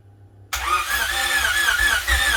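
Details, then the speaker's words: Honda Civic hatchback build, first start attempt in about 20-degree cold: engine catches and runs rough and lumpy with uneven surges and no clean idle; misfire because the spark plug wires for cylinders 2 and 3 were swapped. "is all right so i did have number two and three mixed up so number four that's right number one that's right so those are the only two that i had um uh kind of swapped"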